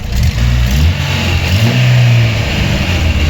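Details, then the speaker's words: Chevrolet Aveo 1.5 8-valve Opel engine after head gasket repair, warmed up, old antifreeze burning off from exhaust: steady, even low idle rumble with no knocks, misses or hunting; healthy, nothing boiling. "Ось так от муркоче наш двигун. В принципі, готова на віддачу."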